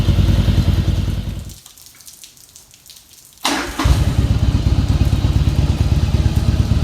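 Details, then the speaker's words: 1989 Yamaha Virago XV1100 V-twin, first start after about 7 years not running, cleaned stock dual Mikuni carbs: lumpy beat that fades then picks up strong and even; idle slightly off but takes throttle fine, normal running. "it sounds like my idols off a little bit but they still throttle up oh yeah sound like we got us a runner"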